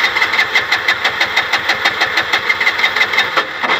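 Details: Bajaj BS6 LPG auto-rickshaw with the gas injector unbolted and held aside: sharp, even firing pulses of about three a second settle straight into idle. It won't start with the injector fitted, so the injector is faulty.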